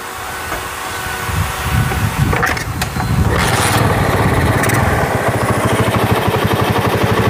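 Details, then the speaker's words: Honda GL Pro after replacing a stretched cam chain that had caused rough running: quick, even putter, slightly raspy because the air filter is off. Normal idle. "dengarkan suaranya Mas Bro nggak ada filternya jadi agak kasar kita lihat di sebelah kiri sangat halus sekali mas"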